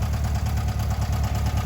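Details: 1978 VW Bus 2.0L flat-four, resealed, converted from fuel injection to carburetor with new carb kit, timing set, valves checked; even, steady low chuffing with no knocks or misses; normal healthy idle before first drive since 2009.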